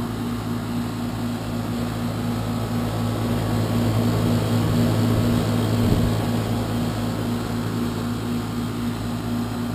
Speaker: so that's the existing heat pump as you can hear it's 12 years old loud on fire up and Loud running as well sitting right outside the homeowner's bedroom